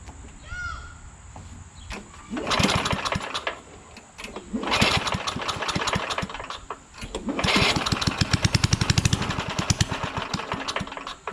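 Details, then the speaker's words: Trash-picked Craftsman/Rally (AYP) push lawnmower, Tecumseh Eager 1 engine, about 97–100°F day: engine catches and revs a couple of seconds, then fades and quits, three times; won't stay running, owner thinks not enough fuel, later wonders about spark. "all right but it doesn't seem to stay started which means that the uh it's not getting enough fuel"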